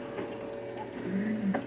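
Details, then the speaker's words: Capt. Kid electromechanical pinball shooter: the pirate-head coil stays energized, a steady buzz under light mechanical clicks, as if the head were continuously shot; game ended to avoid burning the coil. "you see the pirate head is down it and you hear it buzzing it should not be down all the time it should just be down if you shot it so it's like it thinks it's in a continuous state of the pirates's head being shot"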